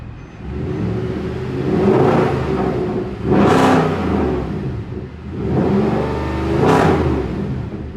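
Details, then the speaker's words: Mercedes C63 AMG V8 after repair, with the faulty exhaust camshaft actuator replaced: a deep steady burble with two clean throttle blips rising and falling smoothly, running properly. "so like i had said i wanted to start it up so you guys could hear what a amg sounds like running properly"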